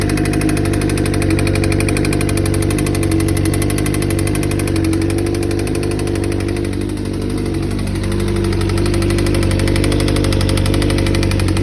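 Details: 2007 Suzuki GSX-R600 four-cylinder at idle: dull, steady knock under the engine hum; owner first suspected the cam chain tensioner or valve clearance, but bearing metal found in the oil confirmed a spun bearing, and the engine was replaced.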